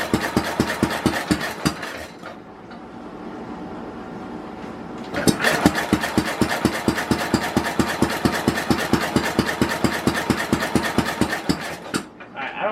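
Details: 1967 Simplicity Landlord 2010 lawn tractor after a carburetor cleaning: even cranking at about two beats a second, a pause, then more cranking, never firing. Ignition timing is way off, and a split carburetor cover gasket is also noticed.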